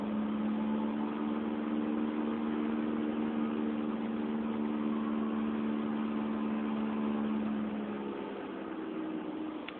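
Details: 2004 Honda Fit GD3 1.5W at about 50,000 km, four years old, driving, phone mounted in the car: steady low constant-pitch drone fading as the car slows; worn rear hub bearing.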